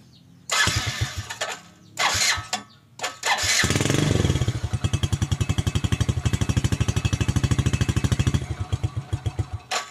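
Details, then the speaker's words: Hard starting and stalling on a neglected New Jupiter Z motorcycle, ongoing for about a week, with delayed starter response, poor power, high fuel consumption and foul-smelling exhaust; a few short cranks and false catches, then a lumpy, uneven run that soon cuts out. "Ini sudah ada sekitar semingguan kayak begini tapi saya Biarin bae lah ini baru sempet Saya mau bongkar tuh suaranya itu enggak enak banget kapasitas langsung mati"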